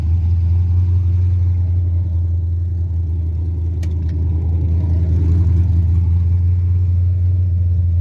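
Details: 5.3 LS swap Mustang with MSD carburetor conversion: steady deep rumble held at constant raised speed, starts and dies; fast idle, owner suspects carburetor, timing or vacuum leak, unconfirmed.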